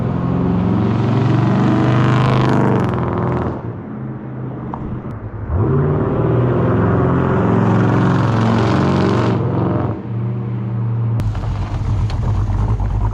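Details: Dodge Dakota R/T V8 pickup with Scat Pack/Hellcat resonators plus added OEM Ram 1500 resonators: deep steady boom rising and falling with throttle, a heavy low droning exhaust note that creates a lot of drone in the cab.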